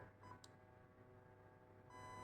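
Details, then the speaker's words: Zius BK1S/BK2S blaster with T238 electronic trigger, battery via converter: single short high beep over quiet hum, first tone of the jammed-trigger reset sequence while the trigger is held, before the second beeps. "okay that's the first beat hold hold it okay that's the second two beeps now you can let go of the trigger"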